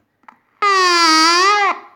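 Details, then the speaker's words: Water-damaged Panasonic RF-562 battery portable radio, first switch-on after reassembly: a loud, steady howl about a second long with a slight dip in pitch, then it cuts off. The amplifier circuit is faulty; the capacitors were found leaky or out of spec. "let's turn it on and see how it will play we have we have something wrong in the amplifier circuit"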